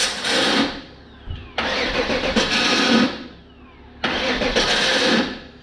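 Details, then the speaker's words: 1994 Pontiac Trans Am LT1 V8 after full rebuild (spun rod bearing), first start on engine stand after rocker adjustment: cranks briefly and catches, revs settle back, firing evenly on all 8 with no misses; healthy start. "She runs! Yeah! Fucking fired right up pretty much. Hitting on all 8, no, nothing missing."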